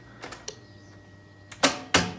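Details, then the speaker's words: BMW E30 with swapped M52B28 engine, first start attempt: sharp single clicks then two harsh metallic clacks as the starter sticks and fails to engage, engine never turns over. "Au moins là, on entend que le démarreur il veut se lancer, chose qu'on n'avait pas avant."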